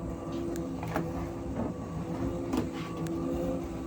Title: Asko dryer loud noises while drying